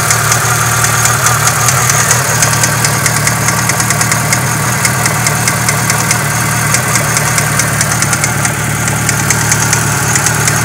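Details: Renault F4R engine at idle: fast, fairly irregular ticking and knocking, about two per second; valve noise heard plus something resembling a connecting-rod bearing knock, cause undetermined.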